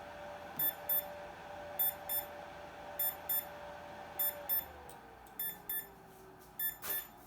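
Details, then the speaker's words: Bantam desktop CNC spindle at rated power, with FETs at 217°F and the motor controller at 135–156°F: paired high beeps repeat about every 1.25 s while the spindle whine sags and its speed drops. This is a controller warning; the owner believes it is overheating. "something about the motor is not happy it's probably telling you hey i'm about to catch on fire i imagine that's what that beeping means"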